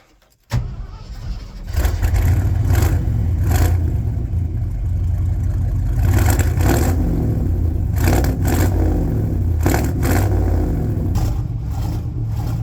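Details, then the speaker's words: 1972 Ford F750 "Super Pickup", first start using choke: fires right away into lumpy, uneven low rumble with surging revs, runs rough; afterwards only six volts measured, low voltage put down to the resistive lead. "so as you can see she kind of sounds like hot garbage you know but it does kind of run so you know that's winning so far"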